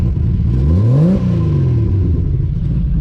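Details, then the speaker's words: Built 2JZ-GTE in a 1995 Toyota Supra, retested after fixing a loose part, full exhaust with new mid pipe fitted: smooth rise and fall in revs, even rumble with no knocks or rattles; running clean and healthy, good oil pressure. "It actually sounds like a 2J now. I'm digging it."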